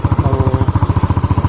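Even exhaust pulses about twelve a second, no misses, knocks or rattles: the scooter engine is idling smoothly and healthily.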